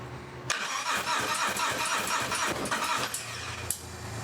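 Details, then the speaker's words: 2022 Harley Road Glide Special M8 114 with new high-flow injectors and Power Vision custom tune, first startup after build: starter churns steadily a few seconds, then the V-twin catches and settles to low idle; oil pressure gauge fitted. "So we're gonna go ahead and fire it up. We got our oil pressure gauge here. Here we go."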